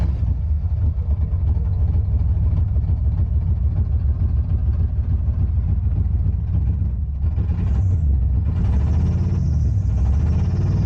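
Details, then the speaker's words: Car on a road trip; it has spark but no oil in the engine and an empty coolant reservoir. A heavy, lumpy, uneven low rumble at idle; the engine runs rough and is judged badly hurt, cause unconfirmed. "I think this engine is hurt pretty good"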